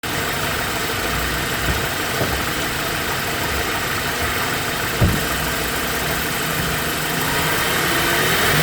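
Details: BMW E90 engine running with a faint thin whine above the engine hum, rising with revs near the end; belts and bearings being checked, cause not pinned down.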